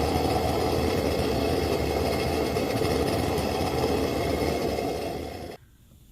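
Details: Wenzel kerosene lantern, first fire after cleanup: the rapid preheater, lit after its clogged jet was cleared with a tip cleaner, gives a strong, steady roar with a fast flutter, even until shut off. Normal preheater burn.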